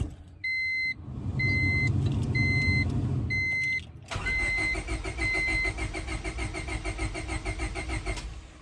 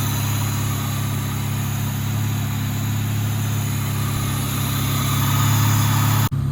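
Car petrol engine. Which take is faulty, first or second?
first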